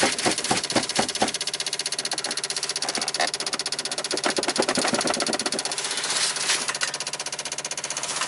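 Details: 1995 Dodge Ram V10 cold no-start, key on, engine off: rapid uneven clicking about four a second, ASD and fuel pump relays chattering as PCM 8-volt reference sags; unplugging ignition module stopped clicking, 8-volt fell to 3.6; bad PCM suspected.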